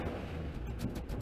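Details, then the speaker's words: 1988 Pontiac Trans Am GTA, 45,000 original miles, new fuel pump, cold and under load, throttle floored: deep muffled rumble that stays flat and won't climb, catches only if feathered; bogging, suspected air or fuel, possibly exhaust. "does not go it won't even catch I've got it floored right now it would catch if I feathered it"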